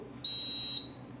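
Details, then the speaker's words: UV water disinfection system ballast plugged in with lamp removed: one sharp, high electronic half-second beep as it enters alarm mode for missing lamp, part of the lamp-replacement reset procedure. "and what that's going to do is going to put it into alarm okay so you can see it flashing here that it is in alarm mode"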